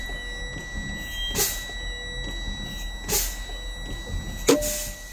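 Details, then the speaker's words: Tractor-trailer air brake test, pumping the brake pedal to drain air slowly: quiet system with hissy bursts, then a sharp pop as tractor and trailer spring brakes pop out at 30 PSI, within the 20–45 PSI spec; good test. "Both my tractor trailer brakes popped out at 30 PSI. This is a good test."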